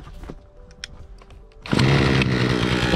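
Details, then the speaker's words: Remington RM4620 chainsaw that was bogging and would not rev, now after cleaning, fresh fuel, a cleaned air filter and removal of the spark arrestor; it snaps up to a clean, steady high scream with no bogging. "that's how you get these cheap remington saws up and running with no cost"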